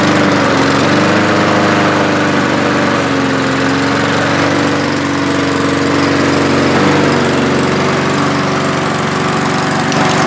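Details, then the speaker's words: Walk-behind lawnmower back a month after service with an air filter fouled by oil after being tipped over: a strong, even drone at a steady pitch. No surging or stumbling; it runs cleanly at full speed. "so let me start it up here guys and you're going to see that it will run perfectly"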